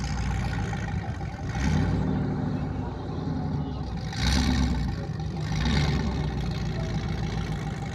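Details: Burnout car; the engine rumbles heavily, lays over hard and surges unevenly under load instead of climbing (bogging), cause not confirmed.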